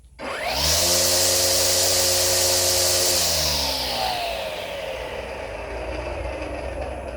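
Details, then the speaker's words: EGO 56V 16-inch cordless weed eater on the high speed setting (two lights): a smooth whir spins up quickly and holds even with no rattle or wobble. Normal running. "Now we're going to go to highspeed setting. All you do is push in. It's that simple. This is the high-speed setting sound."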